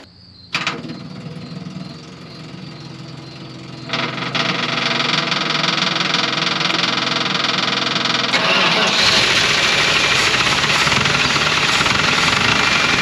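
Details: 1980 Dodge truck, sitting about 18 years, on fresh gas from a strapped-on can: catches and settles into a rough, smoking idle with a steady knock three to four times a second, a known rod knock.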